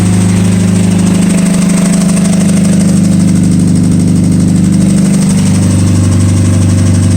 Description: 2007 Mazda 6 2.3 with rod knock. Straight pipe no cats or mufflers.